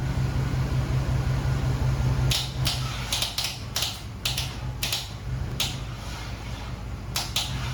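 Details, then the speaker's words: LS-swap engine first start attempt on starting fluid, slightly bent/wobbly flex plate, powered from a truck: steady hum then sharp irregular clicks with no cranking; truck supply too weak, later retried using an Acura MDX. "So we had to grab the wife's Acura MDX because for whatever reason, the truck just did not have enough power to turn this engine over, which I find funny because the Acura had more than plenty."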